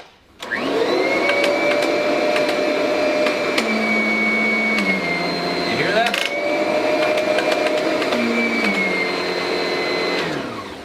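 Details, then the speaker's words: Kirby vacuum cleaner (16 lb, weight centered over power head) on carpet: steady motor whine dips and labours briefly as the head seals to the carpet, then recovers; normal sealing suction. "that's the Kirby sealing to the carpet. And that's something that you will not hear with any other vacuum cleaner because they just simply can't seal because the motor would burn up."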